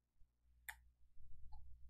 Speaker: You really hear the flyer wheel going around. But it spins just fine too!